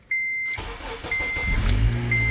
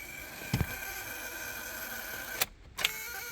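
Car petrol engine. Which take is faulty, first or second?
second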